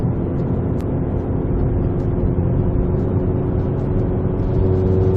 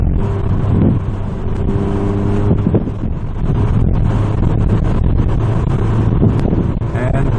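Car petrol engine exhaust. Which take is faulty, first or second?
first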